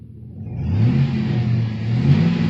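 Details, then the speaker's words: Truck backing into a parking spot after a rubbing noise while driving: engine revs climb freely and hang with no load, as if the automatic transmission slips and won't engage reverse; owner suspects failed transmission, unconfirmed. "it did it now I'm trying to back into a parking spot in Reverse"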